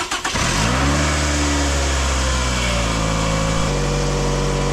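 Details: 2009 Toyota Camry 2.4L 2AZ-FE after replacing a bad alternator that kept killing the battery: brief crank, then an even, steady idle with no misses or knocks, charging at 14.1 V, a normal start.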